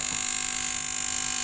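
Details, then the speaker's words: 3000W voltage stabilizer before repair: works but fast steady buzzing rattle through power-up; relay chattering as if supply drops, traced to weak relay-supply electrolytic capacitor. "Sebenarnya kerja dia. Itu. Kita matiin. Tuh, sebenarnya kerja. Cuma relaynya ini bunyi. Seakan-akan di sini ini ada yang drop."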